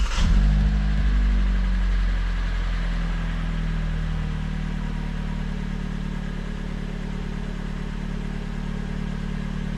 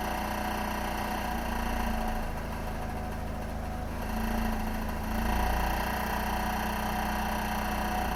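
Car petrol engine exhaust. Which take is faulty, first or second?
second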